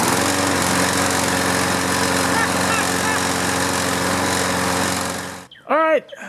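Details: Toro Recycler mower with a Briggs & Stratton engine: hard to start, it runs with an uneven, lumpy beat for about 10 seconds and then cuts out. Diagnosed as a carburetor clogged by old fuel or debris.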